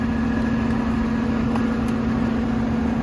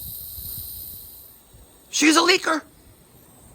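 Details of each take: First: Goodman condensing unit compressor on a maintenance call, with a leaking low-side Schrader valve found: even low hum, steady tone and level, no rattles or knocks; running normally, apparently just normal wear and tear. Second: Goodman condensing unit, low-side service port Schrader valve core facing up: sharp gas hiss for half a second then fainter hiss; refrigerant leak at Schrader valve, still leaking after tightening, core to be replaced.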